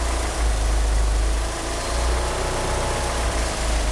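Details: Car fitted with 850cc fuel injectors idles rough: deep, lumpy, pulsing idle that wavers instead of holding steady; it also won't rev up, and the power steering pump belt slips.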